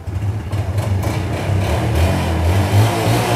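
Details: Yamaha Jupiter motorcycle with original engine, at a used-bike shop: small single picks up from a steady idle into a smooth rise in revs, no knocks or rattles; normal idle.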